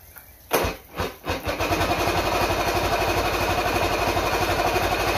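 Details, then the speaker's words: Mercury L4 outboard on a stand, battery hooked up, after repair of a snapped main jet nozzle (stator and trigger still test faulty): two or three cranking pulses, then catches on first try and settles into a steady, even idle with no misfires. "all right i'm gonna fire it up let's see if it talks on the first first turn that's what i like to see all right"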